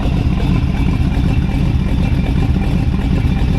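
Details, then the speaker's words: 1932 Ford Hi-Boy roadster, S.C.O.T.-blown 265 CID flathead V8 (60 over bore, '49 Merc rods, S.C.O.T. 404 cam), started in neutral inside the shop; it starts right up with a deep, loud, steady, even lumpy beat, no knocks or misses; normal idle. "Just turn this key on. Starts right up. Rumpity rump. Kind of fun doing cars inside."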